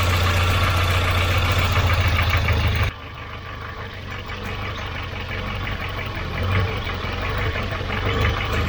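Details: Volvo 940 Turbo, warm idle, dropping suddenly then slowly climbing back with an uneven lumpy beat; owner first suspects a vacuum leak or bad sensor; hunting found to be from a leaking fuel pressure regulator.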